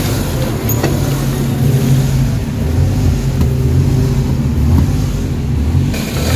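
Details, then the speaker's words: Suzuki DA17, engine warmed a few minutes, no fault code stored; low hum slowly swelling and sagging, idle RPM hunting up and down rather than steady; cause not yet found, scan planned. "Okay so nakita niyo yung sistema ng engine talagang taas baba yung RPM So ibig sabihin may problema yung makina"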